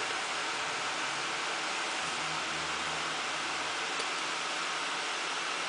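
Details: First power-on of a new home-built PC (Intel E8400 overclocked to 3.85GHz, XFX 780i SLI, Swiftech H20 220 water cooling, 2x 8800GTS, OCZ 700W PSU, Hitachi 1TB drive): loud steady airy rush of fans at full speed, no ticking or grinding; normal fan operation.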